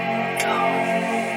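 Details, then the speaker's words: Late 2013 27-inch iMac, first power-on after its hard drive was replaced with an SSD: a single rich bell-like startup chime rings and holds steady, backlight comes on; booting normally. "got a gong, we got a backlit, somewhat."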